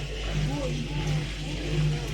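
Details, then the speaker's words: Washing machine after repair of a blocked drain pump, drain cycle: steady low hum with watery gurgle, unbroken; pump no longer blocked, emptying normally with no error. "Là, on entend bien le bruit de la vidange de la pompe. Donc elle est plus bloquée, elle fait le job."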